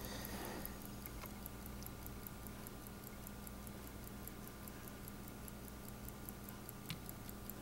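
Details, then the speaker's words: Late-1960s/early-1970s Chateau Sport vintage chronograph with EB 8420 movement, case open, working: faint, crisp, evenly spaced normal ticking over low room hum. "and I'll be quiet for a moment and you actually hear the ticking it makes a great ticking"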